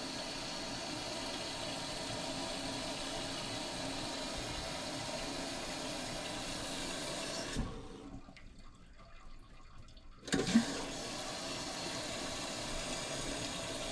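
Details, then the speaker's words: Toilet tank keeps running: steady hiss of water filling the tank stops for a couple of seconds, then refills again; not just the flapper, the fill valve isn't shutting off and needs replacing. "Yeah. You only hear that sound off for a while and then it comes back on. It sounds so annoying."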